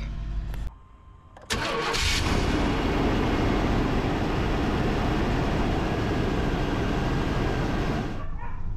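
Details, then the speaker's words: 1998 GMC Sierra 1500 V8 after sitting 2–3 years, after alternator, bracket and belt swap and battery charging; catches and settles into a rough, stumbling idle, check engine light on, charging about 14.5 V; misfire at idle. "as y'all can see from the beginning it did crank up because I did charge the battery up good enough but there's a check engine light on it is misfiring which is to be expected from a truck that's been sitting for two to three years"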